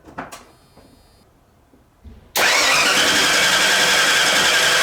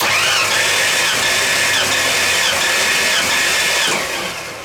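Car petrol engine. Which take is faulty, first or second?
first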